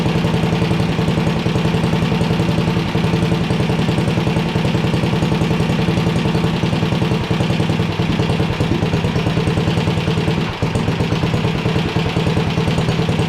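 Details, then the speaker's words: 1970s Sears Suburban ST16 garden tractor's single-cylinder engine, just revived on starting fluid, settles into a steady, even low thumping idle with no knocks or misses, much better than the owner's other engine, which knocks badly. "it's a hell of a lot better than the motor I have on my other one my other one knocks its ass off that sounded good"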